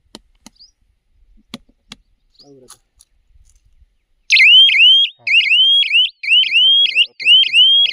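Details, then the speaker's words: Solar electric fence energizer (crop protection from wild boar): after a few quiet clicks, a loud rising siren whoop repeats about once a second when the fence wire touches earth at two places; earth fault alarm. "आता हे जे आहे earthing कश्या पद्धतीने होते ते एक हे दाखवतायत आणि ते बघा हे जे आहे ना हे चिटकलं दोन ठिकाणी आर्थिंग हे झाली की याचा आवाज जो आहे तो या पद्धतीने येतो."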